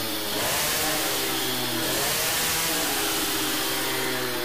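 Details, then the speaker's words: Teknix T6 two-stroke moped fitted with a BOOST cylinder head, high revs with a thick, burbling, muffled exhaust note instead of a crisp scream; carburetion very rich, main jet will be lowered. "Donc pour le moment, la carburation est très riche. Donc ce qu'on va faire, on va descendre en gicleur."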